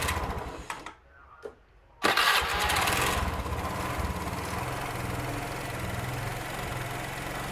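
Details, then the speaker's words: Automatic scooter that ran but would not move, suspected broken drive belt, after disassembly and freeing a seized part in the CVT: brief crank, revs, then a smooth even idle with no knocks or rattles; fixed and running fine. "Sudah halus, jadi sudah tidak ada yang bermasalah lagi."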